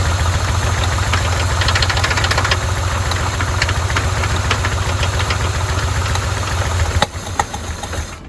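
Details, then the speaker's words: 1981 Chevy K10, neglected and vandalized, start with fuel pump hooked up, fuel leak and some backfiring: rough idle with fast uneven top-end tapping, then stumbling; suspected valve train issue, not confirmed. "definitely got some kind of valve train issue going on here."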